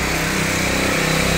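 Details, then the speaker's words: Honda Beat ESP 2017 injection scooter after black wire repair: steady, strained, slow, even starter whir without the engine catching, because the battery is weak; it is then kick-started. "starternya memang akinya lemah."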